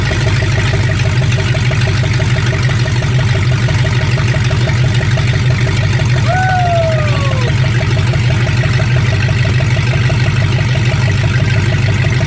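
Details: 1965 Ford Mustang fastback, 289 V8 with Tri-Y headers, first start after 44 years sitting, cold day: deep steady even V8 idle, no knocks or misses; runs healthy, carburetor drips and needs rebuild.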